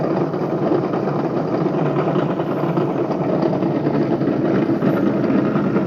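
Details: Bedini motor spinning a BMX rim: steady rough rumbling hum with even level and no distinct knocks; worn bearing rumble from bad bearings.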